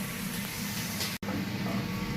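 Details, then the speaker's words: Restaurant drain after K1500 machine punched through a severe blockage: rushing water with steady bubbling gurgle as levels drop; drain flowing but still partly blocked, needs jetting clean. "All right. So, you hear that gurgling noise? That is a sign of a drain blockage."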